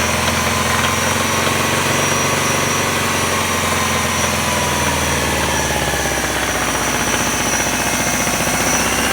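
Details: 1999 Subaru Outback, 2.5L, 150,000 miles: a hard, rapid knock that climbs with revs over the engine roar, mainly between 2,000 and 3,000 rpm. It has grown louder over time. Owner suspects rod knock; unconfirmed.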